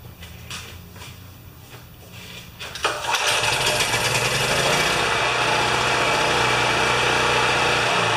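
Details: Champion 3000-watt generator that would not start, tested after its old gasoline was removed: it cranks, catches after a few seconds and settles into a steady, even high-pitched drone with no surging. It now runs properly.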